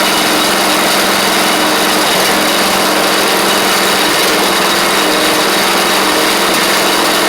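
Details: Troy-Bilt Pony riding mower, first start of the replacement engine on fresh gas after the seized original was swapped out: small single-cylinder holds a steady, even buzz at constant speed, no knocking, surging or stumbling; runs properly, though smoky.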